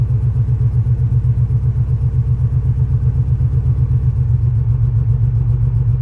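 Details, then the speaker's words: 1991 Chevy Silverado 350 started after sitting with a dead battery, throttle held down: lumpy, uneven V8 that won't hold idle. Header exhaust leaks are suspected; the cause of the poor idle is not confirmed. "I'm still holding the gas down. I don't think it's going to idle yet. [Music] It's not going to idle."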